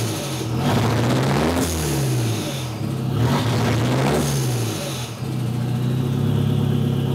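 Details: Nissan CA18DET, half warm after sitting about 2 hours, open downpipe: idle surges and stumbles as if about to stall, a misfire. Plugs are gapped correctly and there are no ECU codes. It idles at 800 rpm when warm but still misses.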